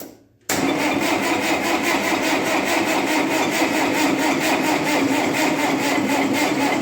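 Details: 1958 Oliver 550 diesel tractor after reassembly, cranking on a battery just recharged after it died, with only a little fuel mist reaching the injectors. Even chuffing pulses about four a second with a weak turnover; it tries but never catches, owner blames the battery.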